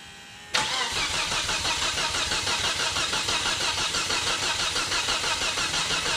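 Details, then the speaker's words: Volvo S60R first start after engine rebuild with cylinder liner shims: fast, uneven puffing tick at idle like an exhaust leak, possibly a misfire; owner to recheck connections. Cause not confirmed. "that sounds like an exhaust leak right there all right we can feel some coolant it started sounds like a misfire"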